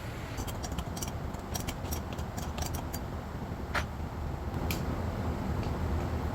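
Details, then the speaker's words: Freshly rebuilt VW air-cooled 40HP engine, first start after swapping in a different fuel pump: uneven, lumpy running with ragged low thumping and metallic rattle, won't settle to steady idle; needs carburetor tuning, cam break-in not possible yet. "yeah it's definitely uh going to need some tuning that uh 20- minute break in for the cam is well it's not happening yet"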